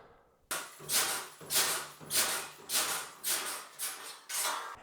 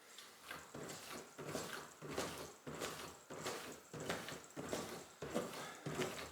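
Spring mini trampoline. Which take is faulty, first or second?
first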